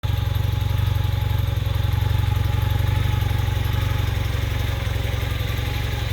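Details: 1981 Honda CM400T twin after top-end rebuild: idle thumps at about four beats a second but stumbles now and then, uneven lumpy idle; slight misfire.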